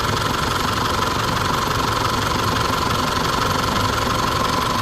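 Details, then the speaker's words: Isuzu D-Max diesel rebuilt after engine overrun (four new pistons, new sleeves), just started: steady even diesel clatter about three beats a second, no knocks or misses; sounds good but needs more run-in, residual oil in exhaust. "กับการออนเครื่องยนต์นะเสียงคันนี้ก็ถือว่าเพราะอยู่นะครับแต่ว่ายังมีอยู่นิดนึงต้องรันไปอีกนึง"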